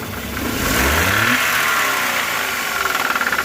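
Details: Hyundai Eon 1.0 Kappa engine: as revs climb, a sharp, rapid bottom-end knock rides the engine note and pounds harder under load; the cause is unconfirmed.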